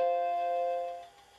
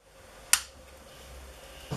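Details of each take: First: Restored Macintosh LC II after recapping with radial capacitors and reseating the NVRAM battery: a single clean bell-like startup chime, the normal power-on sound, showing the machine boots again. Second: Macintosh LC-family desktop from the early 1990s: power switch click and startup chime, then a thin, steady high-pitched whine from failing logic board capacitors; hard drive also spins down and up and won't boot.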